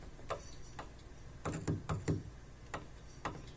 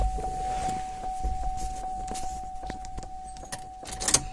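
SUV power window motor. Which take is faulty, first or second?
first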